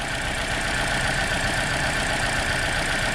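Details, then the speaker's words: 2009 Toyota Corolla 1.8 2ZR-FE, codes P0302 and P0352, flashing check engine light: uneven, lumpy idle with faint irregular stumble after swapping coils two and four; misfire from a faulty ignition coil. "this coil here that was number four US now number two you can actually hear it it's sparking"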